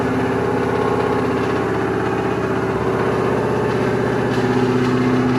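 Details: V8 at its first start after fluids and exhaust were added, started with the foot off the gas and with an automatic transmission: a steady, even burble at about four beats a second with no knock or miss, a healthy idle.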